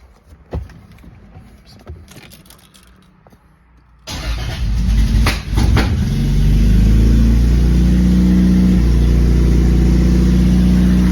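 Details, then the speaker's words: Very first start attempt of a 2JZ-GTE-swapped Lexus SC300 build, with fuel and oil pressure confirmed: quiet clicks, a short crank, then it catches on the first try and climbs to a fast even idle with a faint occasional stumble, a slight misfire of unconfirmed cause. "All right, started on first try. Sounds like there's a little bit of misfire, but yeah, start it up."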